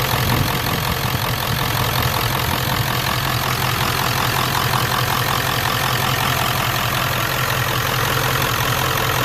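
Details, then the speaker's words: Ford OBS 7.3L Powerstroke diesel with mechanical fuel pump, first start after installing a fuel bowl delete kit with the filter primed; loud, steady clatter at an even idle with no stumbling or hunting; healthy idle. "god I love that mechanical pump"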